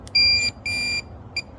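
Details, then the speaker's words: Minelab Pro-Find 40 pinpointer switched on in open air: two longer high beeps, then a short quick third beep, sometimes a few seconds later; normal startup sequence, ready to detect. "It makes three beeps. It goes beep beep and you have to wait. There's a beep at the last little beep. It's ready to go."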